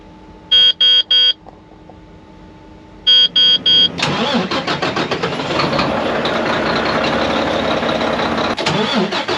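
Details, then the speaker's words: Mack MP8 / Volvo D13 truck diesel that long-cranks after sitting a day or two or after a fuel stop: warning chimes, then starter grinds a good while before catching and settling; hard start, later fixed by sorting injectors. "The attempt that I did earlier, you can hear a little extra long-ish kind of start, but this is how it start to act up, right?"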